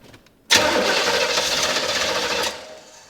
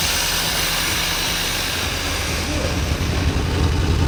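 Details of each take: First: Corvette fitted with a temporary Ford Mustang fuel pump and new fuel after water in the system; about two seconds of harsh cranking that never fires. Injectors have power; clogged injector suspected. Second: Corvette after replacing a water-contaminated, corroded fuel pump (temporary Ford Mustang pump) and a bad injector with a used one: steady low engine rumble with an even beat and faint hiss, running smoothly with no misfire or knock.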